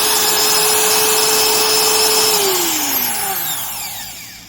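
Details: Stanley industrial laminate trim router serviced with new bearings and brushes: a high steady whine falling smoothly on coast-down, with no squirrel-chirp rasping. Bearings sound healthy.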